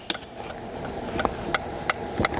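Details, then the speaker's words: Citroën C4 Picasso rear body noise: quiet, sharp, irregular creaking ticks every third of a second or so that stop when the panel is pressed by hand; a loose spot weld rubbing at a torsion point. "então ou seja esse ponto de soldo aqui ó quando a carroceria trabalha o carro tá tendo atrito de uma das duas latas né que esse é um ponto estratégico de torção"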